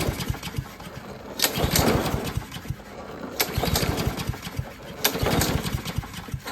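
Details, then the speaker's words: Troy-Bilt 21in self-propelled mower: repeated pull-start bursts with weak puffs and some white smoke, never catching. It won't start; the carburetor is suspected. "now I don't think it wants to start it's definitely trying to um get going but I don't think it can so that probably is a problem with the carburetor"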